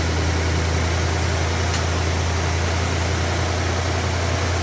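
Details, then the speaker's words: Plymouth with stock Carter carb, sat about 2 weeks, started without priming fuel: catches much faster than ever before, then settles into a steady, fast, very high idle with an even low rumble, quick cold start. "That caught much faster than it ever has previously. So that was a surprise. Idle very high."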